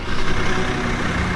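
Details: BMW 335i after its ECU was repaired, which fixed the earlier misfiring fault. A steady, even idle with a deep, smooth hum and no stumbles or missed beats: the engine runs cleanly at normal idle.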